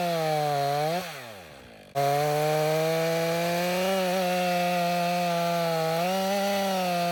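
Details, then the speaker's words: Stihl MS 500i chainsaw cutting after its chain was sharpened with a two-in-one file: a strong steady high tone under load that briefly dips and recovers, then pulls evenly through the cut. It cuts better with the sharpened chain. "That works better with that chain."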